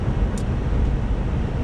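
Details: 2006 Buick Lucerne in cold weather, after replacing coil packs and the faulty ignition control module that caused a misfire: short stretch of smooth, low, steady engine rumble while driving, no stumble or miss.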